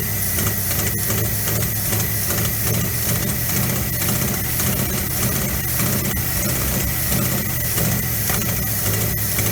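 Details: 1957 GMC 370 2-ton truck, original Pontiac 347 V8 revived after 20 years seized, 6625 miles: loud uneven lumpy running with irregular thumps on fuel poured into carburetor, smoky from burning diesel and penetrating oil; owner unsure all cylinders fire.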